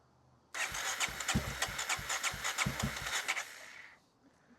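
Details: 1994 Honda XR650L single-cylinder, unstarted 14 years, cranking after spark restored, fed from a gas can: uneven cranking chuffs about three a second for three seconds, some strokes almost firing, then stops; the choke was then pulled and it started.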